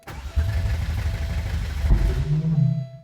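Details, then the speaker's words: Porsche 964 flat-six, first start attempt: rough uneven cranking with two exhaust pops and a brief low stumble that won't catch. "it's it's making a weird weird s sound is the popping coming from the exhaust yeah it like makes it two pops and then does a little weird"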